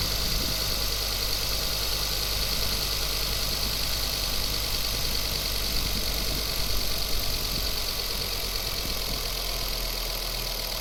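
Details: Ford Focus ST Mk2 at steady idle: hissy, uneven ticking puff over the engine note from a leaking exhaust manifold at the gasket bolts, found by a local garage (Volvo service had claimed the turbo needed replacing).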